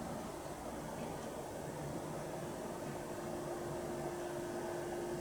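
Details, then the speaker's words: TEAC PowerMax 60-2 90s PC speakers after recapping, at maximum volume: only soft hiss and a barely audible low hum; normal quiet output, repair successful. "I can hear a tiny I mean it's so minute can he a little tiny bit of home but as you can see we're at maximum volume"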